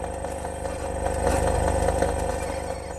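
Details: Navitel DS1020 DVR CarPlay unit feeding the car radio through an aux cable: a pulsing, helicopter-like buzz about three times a second over the running car; electrical interference on the audio line.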